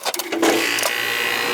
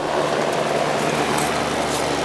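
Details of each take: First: Heat pump AC condenser not cooling, after repairing a single wire connector: a few clicks, then the compressor kicks on and settles into a steady, even hum with no rattle; it now starts and runs normally. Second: Heat pump AC unit not cooling, outdoor unit: only a steady fan whoosh and even hum, no deeper compressor drone; the compressor isn't starting (a bad capacitor suspected).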